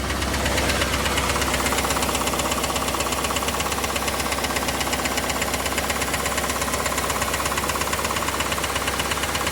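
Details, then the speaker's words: Chevrolet Camaro IROC engine at idle, mic moved around inside the engine bay to locate the noise: sharp metallic clacking about three per second underneath general ticking; internal tick or knock, source not yet found; glittery oil previously seen. "There's so much ticking and clacking going on. But try to listen in for that clacking noise that you're going to hear underneath the ticking, because it is there."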